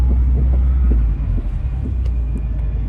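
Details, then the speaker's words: Subaru WRX STI coupe rolling slowly after failing at the track, awaiting a tow truck; deep throbbing pulse about three to four per second under the rumble; owner suspects a flogged wheel bearing or broken CV joint. "so the victorious sti probably has like a completely flogged wheel bearing or broken cb or something of that nature"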